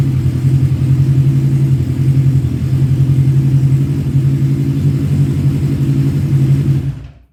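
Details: 1985 Kawasaki GPz 900R Ninja revived after sitting, slightly warm, with its pipes, after rusty gas tank cleaned and refitted: deep even engine note held at raised revs, no knocks or rattles, cut off cleanly; healthy.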